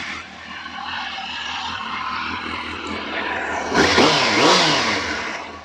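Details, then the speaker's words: Warm 600 inline-four motorcycle, run ten minutes earlier: it idles steady, then sweeps up smoothly through a couple of clean blips and settles back with no misses or rattles. The engine is revving normally. "this park has been uh running ten minutes ago so don't worry about revving it when it's uh like that it's not cold"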